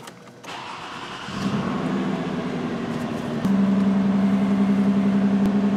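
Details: 2006 Toyota Solara V6 with cylinder-one misfire from a failed ignition coil on the rear bank under the intake plenum: engine catches and settles into steady idle with a faint uneven pulse from the dead cylinder.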